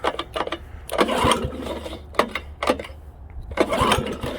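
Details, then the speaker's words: Honda HRA215 SX self-propelled mower with blade clutch, sat in a shed for seasons, probably stale gas, sticky recoil: several rope pulls spin it briefly with no firing. Pull-start no-start; fuel tap may be in the off position. "So it doesn't really want to do anything."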